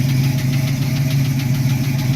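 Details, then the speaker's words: 1972 Mustang Mach 1, 351 (5.8L) with solid-lifter cam, Edelbrock intake, Holley carb and headers, just after a cold start: a deep, steady idle with light, quick tapping, which is normal solid-lifter valvetrain noise. "It's a solid lifter cam, you can hear it. That little bit of tapping noise is your solid lifter cam. It kind of freaked me out the first time I heard it"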